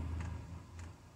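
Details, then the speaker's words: Diesel heater switched from kerosene to 100% biodiesel, starting up: soft regular ticks about every 0.6 s over a low fan hum as the fuel pump pulses normally and speeds up while it tries to light. "right that's a pump kicked in just now so I can hear it attempting to fire up in the burn chamber pump's getting a bit faster"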